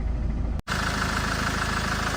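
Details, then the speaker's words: 2010 Land Rover Defender 110 2.4 TDCi idling with the aircon running on a warm day: steady, even diesel clatter with a constant fan hiss, no misses or knocks. Normal idle. "2.4 TDCi motor here with the aircon running. It's doing what it's supposed to. Just getting on with the job."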